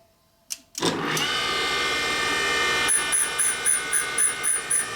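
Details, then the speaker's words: 1979 Harley Shovelhead 80ci rebuild, grinding a valve face on a valve refacing machine: an even grinding hiss turns into a loud pulsing chunk-chunk chatter about four times a second as the stone catches a high spot on the valve face. "Obviously, you can hear the high spot. Yeah, that was pretty loud. High spot. Yeah. Big time."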